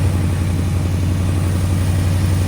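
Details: AK 427 Cobra replica first start after build, cold day, small hose leaks being checked: steady even low idle with smooth regular pulse, no knocks or misses; healthy. Normal idle.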